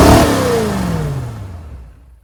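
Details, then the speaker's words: 1979 Chevy Suburban 8-door shuttle, first start after manually priming fuel into the carburetor: engine flares to high RPM then pitch falls away; owner unsure if throttle stuck open or excess primed fuel caused it. "I don't know if we got a throttle stuck or if that was just cuz the amount of fuel I manually pushed into the carburetor there. I didn't really like it going that high RPM though."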